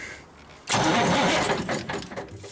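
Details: Cummins 350 Big Cam diesel in an approx. 1991–92 Kenworth, not run in years, first start attempt powered by jumping the solenoid: a brief burst of starter cranking fading after about a second; it never fires. Cranks but no start.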